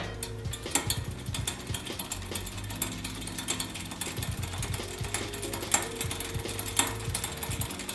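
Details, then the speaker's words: Shimano XT Shadow Plus rear derailleur with the high limit screw set too tight, chain shifted down to the smallest cog: irregular popping and crackling from the chain while pedalling. "a little bit of popping and crackling definitely a little bit of noise there"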